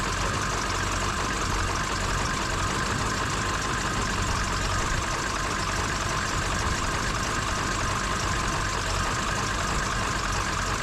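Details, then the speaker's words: Ford Super Duty 7.3 Powerstroke diesel just started after replacing ICP sensor and IPR valve: loud, rough uneven idle with a ragged knock, most likely from air in the high-pressure oil rail that needs to bleed out. "Hear how it's kind of running a little bit rough? That's most likely because there's a lot of air in that high pressure oil rail, so it'll have to get all bled out of there."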